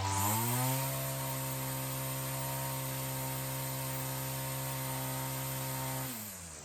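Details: Weedeater two-stroke trimmer engine fitted with a new HiPA carb in place of the old one: clean, steady high buzz holding even pitch at full throttle, then dropping smoothly; sounds much healthier, with more throat than the old carburetor.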